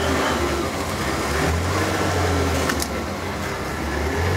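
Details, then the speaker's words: About 1994 Ford F-150, cold, after a fuel filter change: low idle that keeps surging and dipping every second or so, runs poorly only at idle; owner suspects debris in the fuel line. "er fired it up but still doing like this pulsating if you guys can hear it just being weird like that it's got some [ __ ] in the line taking a blender so to clean it out or something"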